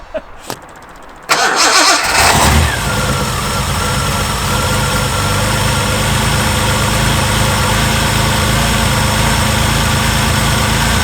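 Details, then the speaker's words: Reliant Scimitar (Ford engine) cold start after tappets adjusted to spec, fresh oil and cleaned plugs: settles to fast idle with light metallic ticking from top end, characteristic Ford tappet rattle persists; exhaust gasket suggested but sounds more metallic; cause unconfirmed. "the noise is still there hopefully you guys heard it in the camera now um it definitely does sound like that characteristic Ford tap rattly noise"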